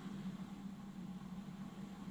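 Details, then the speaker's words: 1980s AIWA AD-WX929 cassette deck with new belts, replaying a blank tape during Data 1 bias calibration: quiet, steady low hum with even tone, no flutter, scraping or squeal; normal mechanism running, then shows tuned. "which is the set and then it will just quickly play it again just to make sure that that setting is correct"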